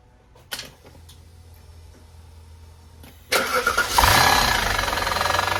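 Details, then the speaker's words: Audi D2 S8 V8, first start in about a year after a 2020 crash, serpentine belt off: loud idle with raspy scraping that persists without the belt; crank pulley found interfering with something. "I have the shirt belt off but it was still making that noise with the belt off but what I found is actually the crank pulley is interfering with something"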